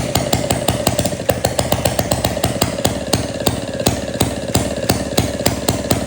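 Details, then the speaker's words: 1937 Maytag Model 92 single-cylinder two-stroke, after gas tank and mixer cleaning and new spark plug: crisp evenly spaced pops at nearly five per second, no skips or stumbles; running clean and healthy. "I appreciate you guys coming back to the garage to check out this model 92 MagG 1937. It runs and it runs really well. It uh it didn't fight me at all."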